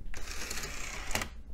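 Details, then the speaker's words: DVD drive in a Dell Dimension XPS system: the spindle spins, then brief whirring with quick mechanical chatter from the sled and lens as the drive hunts and stops. The pickup can't get a focus lock. Cleaning the lens and blowing compressed air under the shroud didn't help. "all right spindle works and it sounds like the head can't get a focus lock oh there it goes Maybe nope never mind it came close"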